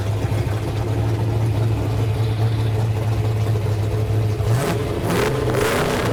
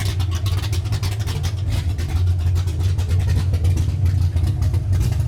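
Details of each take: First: Newly built 331 V8 in a Ford Ranger, first fire-up after the idle screw was turned up. A loud, choppy, loping V8 idle with a brief throttle blip from the aggressive cam; running very rich while the computer learns. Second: Freshly built 331 V8 in a Ford Ranger, first fire-up with a big "rowdy" cam. Loud, choppy, lumpy idle running super rich while the computer is still learning; rough rich idle.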